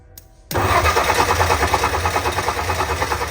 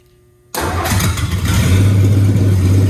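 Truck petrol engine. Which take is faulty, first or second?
first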